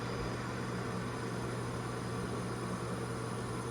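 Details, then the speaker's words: Sloan Flushmate pressure-assist toilet tank, new cartridge being turned in with water on: steady low hum and faint water hiss as the tank keeps filling until the cartridge seats correctly and filling stops. "Still filling, still filling. Right there it stopped."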